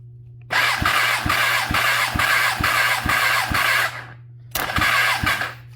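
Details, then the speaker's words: Kawasaki ZX10R, cylinder 3 cranking compression test: steady starter whir with even pulses, briefly cut then resumed. About 170 PSI, below cylinder 1 but much better than cylinder 2; fairly good compression. "All right, what do we got here? That looks to be about 170. Again, very all over the board. Still not bad. This is not bad."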